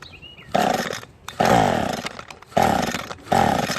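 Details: Echo string trimmer that stopped working last year, primer bulb not drawing fuel, cracked tank grommet, damaged air filter, before carb swap, on mixed gas. Short buzzy two-stroke bursts per pull, each dying within a second; low compression.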